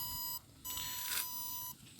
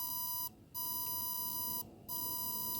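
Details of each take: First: Battery desulfator pulse generator clamped onto a 12.8 V lead-acid battery: high, thin tone cutting on and off in bursts about once a second as it starts pulsing, working normally. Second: Lead-acid battery desulfator pulse generator: the cycle varies (about 580/220 ms) rather than holding a fixed rate. A steady high whine drops out twice at uneven spacing, a croaking sound with no clear regular frequency.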